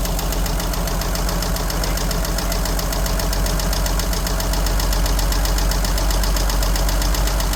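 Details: 1963 Jeep Gladiator, key left in the ignition: steady light tick over a rough idle, about three to four per second and tied to engine speed; source not found, cause unconfirmed.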